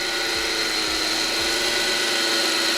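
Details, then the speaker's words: 2012 Smart ForTwo, about 92,000 miles, at idle: steady high whirring hiss, constant pitch, no knock; louder at tensioner than alternator per metal-bar listening, so worn belt tensioner pulley bearing suspected rather than alternator. "I don't think so it's gonna be bad alternator, because noise, if it's bad alternator bearing, is supposed to be the much more louder in here than on the tensioner. That's why I thinking is something down, not on the top."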